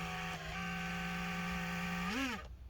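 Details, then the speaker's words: HP Pavilion 15-cs0053cl laptop at power-up, fan bad: steady high whirring with tonal buzz rising in pitch as the fan spins up, then cutting off; loud buzzing fan to be replaced. "it's not that loud right now because the fan's spinning slow but you can hear there you go you can hear it a bit anyways"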